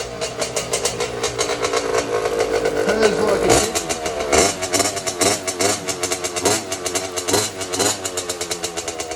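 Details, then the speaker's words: Race 50 two-stroke motocross bike with homemade exhaust silencer, three baffles from an old curtain rod and scourer packing: short blips and revs, the note muffled and buzzy rather than sharp; exhaust runs quieter. "it'll be interesting to see if we've actually deadened any sound or just made a race bike make less power and same amount of noise"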